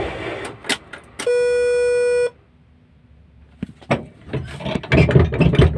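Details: HOWO 10-wheel dump truck diesel, started after waiting for the dash indicators, including the engine oil warning, to go out: dash chime for a second, a quiet pause, a few clicks, then the diesel catches and rumbles evenly; a clean, normal start.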